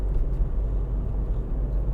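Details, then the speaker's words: 2006 VW Golf Mk5 2.0 TDI BKD diesel after MAF sensor cleaning, warm at 90°C, at the former bad spot: low, even rumble with no stumble or hunting, smooth as silk; rough running cured. "And this used to be the bad spot here. Uh no, it's smooth as silk. Smooth as silk."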